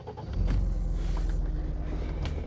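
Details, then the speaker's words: Mercedes-Benz SL320 R129, 3.2-litre straight six, started by key with the roof on: the engine catches at once and settles into a smooth, even low rumble with no knocks or misses, a healthy normal start. "So far so smooth, but yeah, that sounds very, very interesting indeed."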